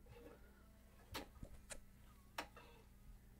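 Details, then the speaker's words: Bose 3-disc CD changer just plugged in during repair: quiet room with scattered light clicks and soft mechanical shuffles as the drive mechanism moves up and down and arms hit a side switch; normal initialization. "we're gonna see you're gonna hear a bunch of noise and what's happening is the the drive mechanism is is going up and down just to initialize each of the drives"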